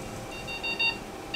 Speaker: this so this beeping sound tells us how fast a patient's heart rate is going, which is part of circulation, and then also the pitch that it's making tells us about what percentage of hemoglobin molecules are saturated with Oxygen.